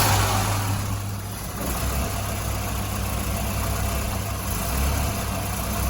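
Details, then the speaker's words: 1985 Volvo 245 with a B230F engine and LH2.2 fuel injection, warmed up, idling uneven and lumpy with an irregular stumble. A water-spray test showed cylinders 1 and 2 running cooler. Misfire from clogged fuel injectors. "it's developed kind of a misfire it's not running right but it does run"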